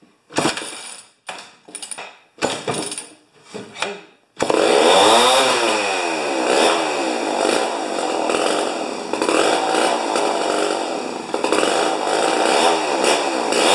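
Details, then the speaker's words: Rebuilt 50-year-old 100cc Homelite XP 1020 chainsaw: after a few hard pulls it catches and screams at a very high wavering pitch; max about 10,500 rpm versus the 9,000 rpm book limit, idle about 2,500; over-revving. "okay oh oh all right it says it says on the books under uh chain interest chainsaw interest or something like that 9,000 RPMs are the highest as it should go"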